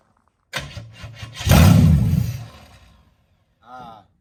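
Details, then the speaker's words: HZ one-tonner engine, first start in six years: cranking turns into a brief firing burst that dies within a second; it only kept firing with the key held in start, so a hot wire from the positive to the battery is planned. "that's because we've got that gremlin so before i pull this car down unless i held the key on the start position it wouldn't continue firing"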